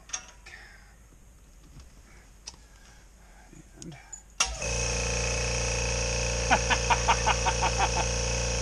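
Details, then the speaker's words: New Kobalt Quiet-Tech air compressor, just plugged in: starts abruptly into a soft steady hum with light regular ticking, no knocking or rattle, far quieter than the old Coleman; normal operation. "is amazing oh my gosh so different"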